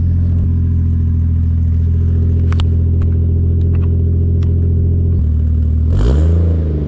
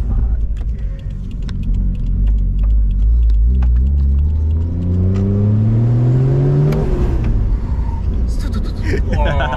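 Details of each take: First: Toyota Mark II 1JZ with custom exhaust, running without an intake filter; deep steady six-cylinder drone at even revs, then quick blip and drop back, clean with no knocks or rattles; sounds pretty good. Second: Toyota 1JZ with new intake and full custom exhaust, heard while driving: revs climb smoothly, then the note drops away abruptly near seven seconds as the engine cuts out. The fuel pump gets a constant 12 volts; fuel or a boost leak is suspected.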